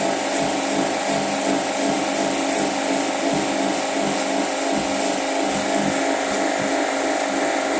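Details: Washing machine starting spin cycle after draining: steady rushing roar with soft uneven thump about every third of a second; noisy spin, owner suspects clothes bunching to one side causing vibration, cause unclear.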